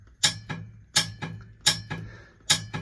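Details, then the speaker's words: M923A1 military 6x6 truck with a non-working air horn: after wire-wheeling a rusty horn ground and reassembling the horn button, sharp paired clicks about every 0.7–0.8 s as the solenoid opens and closes cleanly; no air in the system yet. "So, I'm going to replace it. But now, you can hear the solenoid"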